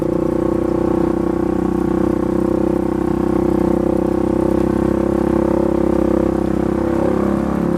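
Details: Polaris 570 ACE engine rebuilt after a dropped crank and rod caused a hard knock; new crank, valves, buckets, high-compression parts; steady drone holding one speed, no knocks, ticks or rattles over eight seconds, healthy.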